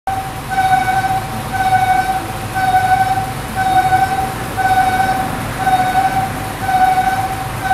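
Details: Bus registered Utsunomiya 200 A 200: a high, wailing whine pulsing about once a second over the low engine rumble, like an animal crying, coming from the rear of the bus.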